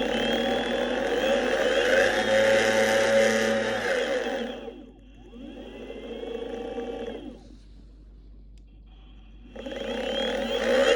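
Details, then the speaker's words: Boosted Board Mini X electric skateboard with 3-month-old motors: the motor whir rises and falls with speed and carries a fast, fairly regular tick about three per second; a clicking motor fault on a board that should be nearly silent. "However, in the last, probably since that video, an issue has sprung up, and the issue being that the motors produce a clicking noise."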